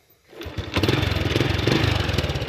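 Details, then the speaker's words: Honda Wave 110i motorcycle after engine rebuild: starts easily, settles into a smooth quiet idle with no knocks or rattles; fault codes cleared. "เสียงเงียบสตาร์ทง่ายครับไม่มีเสียงดังรบกวนรำคาญไม่มีนะครับ"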